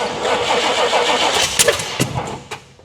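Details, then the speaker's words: 1979 Pontiac Trans Am V8 after the distributor was turned 180° and a hot wire rigged: rough, uneven cranking with sputters and pops that never catch, then winding down. The firing order was unchecked and is suspected. "I don't think it did. Try it the other way. I did not check the firing order after all that. So, that could be another thing that's an issue."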